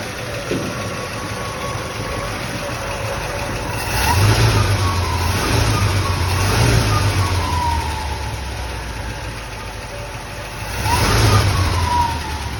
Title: New update. C10 1970 307 small block do you think the knocking sound ended??